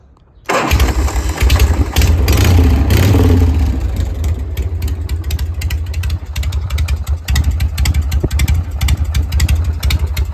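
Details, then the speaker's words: 1981 Harley-Davidson FX Shovelhead with newly built exhaust and complete rewire, startup: catches straight away, revs briefly, then settles into a steady, loping V-twin idle with no knocks or misses; still a little white smoke, but it runs great. "Still blowing a little white smoke, but bike ran great."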